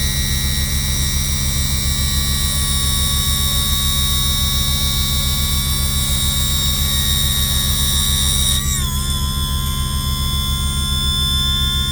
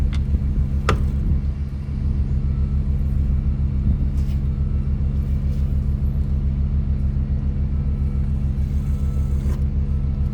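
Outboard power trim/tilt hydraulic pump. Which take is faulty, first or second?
second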